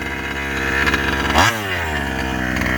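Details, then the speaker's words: Rovan 5B fifth-scale two-stroke on its first run with a new carb and clutch, after top-end tuning. A sharp rasp climbs and settles without bogging; not cutting out or flooding, with good throttle response and power off the line: normal revving. "it's not uh it's not cutting out on top end it's not flooding out it's got good throttle response good power off the line"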